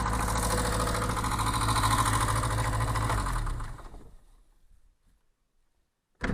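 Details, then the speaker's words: VAZ 2107 engine at idle then shut off: light, quick tapping about three per second that persists even after valve adjustment; worn rocker arms suspected, rockers and valve stem seals to be replaced. "И вот стучат вот эти коромысла. И хоть затяните клапана в настройке, они все время будут стучать в клапанах там."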